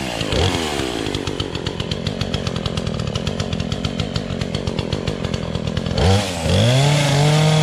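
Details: Remington Outlaw 20-inch two-stroke chainsaw, started with choke for the first time in over a year on year-old fuel. It buzzes steadily at high revs with even firing, then makes a clean throttle change near the end; runs healthy.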